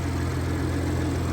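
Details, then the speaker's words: 2019 BMW 540i G30 with stage 1 MHD tune, cold engine just after spark plug replacement (stock gap kept): smooth, even low drone at a slightly raised fast idle with no stumbling; normal cold high idle. "you know it's still idling high right now because that's just how it is"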